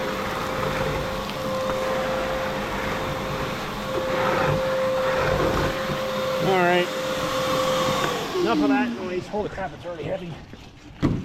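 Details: Vacuum running: loud steady whoosh with a constant mid-pitched motor whine that winds down at the end; owner calls it a good but noisy vacuum; normal running.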